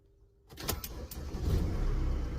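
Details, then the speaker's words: Mercedes Sprinter diesel cranks slowly and laboriously for about a second after glow plug wait before catching and settling; weak battery sagging under load, decoupling alternator then recharging. "As you can hear, it was quite sluggish to start."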